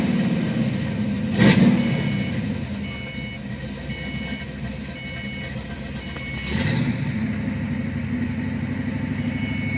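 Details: 1991 Ford Mustang V8 idling with an uneven, stumbling rhythm, then revving; lumpy beat points to a misfire of unknown cause.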